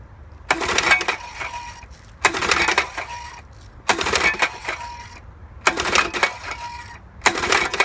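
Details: 1963 Evinrude Sportwin outboard after new ignition coils, condensers and points: five quick pull-cord strokes, each with a sharp metallic knocking clatter, even when just pulling the cord; cause unknown.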